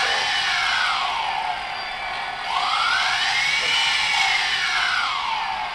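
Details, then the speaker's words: DJI Phantom brushless motors after the bearings were oiled with high-speed brushless motor oil: a high smooth whine rising and falling with speed, the grinding gone. Normal running. "more grinding so the high speed motor oil definitely made a difference"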